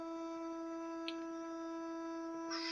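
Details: Toilet cistern refilling after flush: steady mid-pitched hum with a whistling edge throughout the fill, from a worn fill valve; fixed by replacing the cistern fill and flush valve assemblies and the tank-to-bowl gasket.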